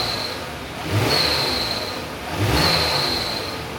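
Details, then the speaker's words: 2019 Kia Sorento 3.3 V6, cold start: high, thin squeal that rises with each quick rev, a constant chirp when cold that fades once warm; serpentine belt squeal from a worn idler pulley bearing and weak tensioner. "So, you heard that squealing noise. Uh, what this one's doing, this is actually 2019 Sarrento. It's got the 33 V6 in it. Um, this one is squeaking really bad, especially when it's cold."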